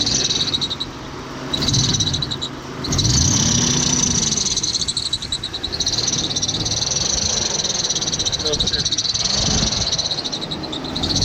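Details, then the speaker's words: 1988 Jeep Comanche Pioneer 4x4 pickup, 4.0L inline-six, barn find not run for years, idling rough after jump-start on a dead battery: high chirpy squeal repeating several times a second, suspected dry or glazed belt squeak; location unconfirmed. "okay you hear that squeak they're very good old trick that my dad has taught me about is that if you put the comment on there that just takes away the squeaks"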